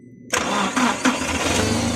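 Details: Car that sat unused over a year, diagnosed with a scanner and fitted with a replacement engine control unit (ECU). It catches quickly after a brief quiet and settles into a steady, even run.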